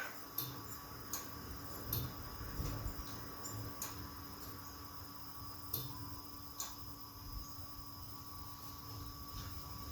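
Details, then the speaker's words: 1971 Lincoln Continental Mark III parked over 40 years, key turned on: faint sharp clicks at irregular intervals with no cranking. Starter relay clicks but the starter never turns; owner suspects the starter or chopped, spliced ignition wiring. "let's turn the key s on that you guys hear that just uh clicked I think this is why this car was parked"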